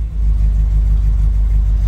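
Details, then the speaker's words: Classic Austin Countryman Mini, carbureted, started with choke partly out, in neutral, fuel now pumped up to the carbs: low, smooth, even four-cylinder rumble with a steady beat and no ticks, knocks or misses; healthy idle. "ting to grab some fuel now it got quieter cuz it's actually pumping fuel up to the carbs"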